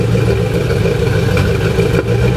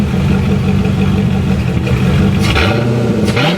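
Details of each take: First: C4 Corvette V8 revved after head gaskets and a valve job, front cats deleted with a 2.5-inch Y pipe and Cherry Bomb glasspacks: irregular exhaust pops and clatter. Owner suspects a too-tight rocker arm holding a valve open. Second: C4 Corvette V8 at idle after exhaust change (2.5-inch front Y pipe deleting front cats, Cherry Bomb mini glass packs) and head gasket work; deep, even rumble with light blips, popping cured by adjusting an overly tight passenger-side valve; normal smooth idle.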